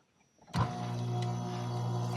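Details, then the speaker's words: Air conditioner compressor after installing a new AMRAD hard start kit wired to common and herm terminals; starting amps had read 109, far above spec; now starts with one quick thump into a steady even hum, start draw dropped. "automáticamente el arranque ya bajó lo cual significa de que hicimos un buen trabajo"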